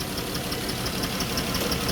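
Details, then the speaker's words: Dodge Chrysler minivan, 134,000 miles, overheated after driving with a coolant leak from broken plastic heater-core tees; idle with a dense, slightly lumpy beat and uneven pulses: running rough, cause not yet confirmed. "Now, again, the question remains, why am I running rough? Did they cook this damn thing?"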